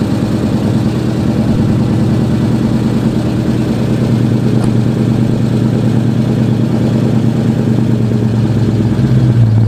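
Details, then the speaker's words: 2009 Mercedes-Benz SL63 AMG (R230) V8 at idle: a light, fast ticking about twice a second over the rumble. The noise is loud and comes from the bank 2 valvetrain; lifter tapping is suspected. "the customer just brought it in yesterday and we could hear it pulling in that's how loud the lifters were tapping"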